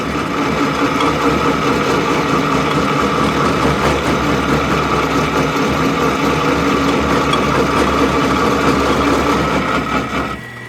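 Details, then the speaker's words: Homemade lathe's first cut with a not-so-sharp tool bit plunged in: rough, buzzing rattle with steady ringing tone, tool chatter because the lathe is nowhere near rigid enough. "mean obviously you can hear just chattering away this whole thing is not even close to uh rigid enough yet"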